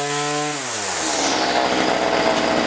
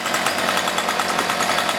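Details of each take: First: Weedeater two-stroke, low and high carburettor screws being adjusted: revs cleanly to a steady high buzz, dips once, drops back smoothly; runs healthy. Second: Cheap light home two-stroke weed eater, choked and warmed up, high and low idle already adjusted: harsh buzzing drone that stays flat and won't rev under throttle, bogging attributed to a clogged muffler spark arrestor screen.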